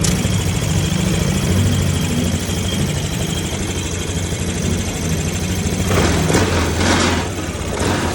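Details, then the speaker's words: Yamaha Aerox 155 after rocker arm replacement, which cured the earlier top-end ticking. Low, even idle hum with no ticking and only a few light bumps late on; the engine now idles clean and quiet. "Ngayon pakinggan niyo guys. Tahimik na siya."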